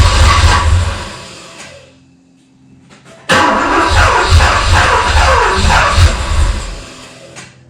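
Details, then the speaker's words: Rough running on restart of a 1985 US-spec Porsche 928S (S3) V8 after fuel injector replacement and intake refresh: cranks, catches, stumbles, nearly dies, then runs uneven with lumpy revs; owner suspects a vacuum leak, not confirmed. "So when I went to restart the car. It was not running right and I had heard wasn't the first time I've heard this."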